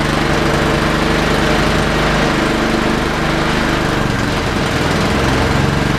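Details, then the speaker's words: Honda water pump small single-cylinder engine after carburetor replacement, started choked: steady even running with no surging or dying; carb swap cured the earlier surging and quitting once the pump kicked in. "Guess what? That took care of it. That took care of the problem."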